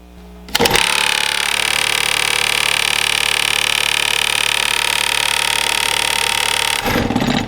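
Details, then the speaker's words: HVAC blower fan clamped in a vise with a tie rod nut put in the wheel: a loud, steady high whir with a harsh buzzing shake as the out-of-balance wheel hammers the motor. "This is really locked down in this vise. You just saw how bad that was shaking."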